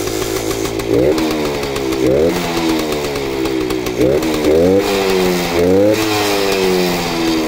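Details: Kawasaki KV75 small single, first startup after sitting many years, repaired blown head gasket: revs up and drops back cleanly several times, crisp and even, no misses or rattles; starts easily and runs well.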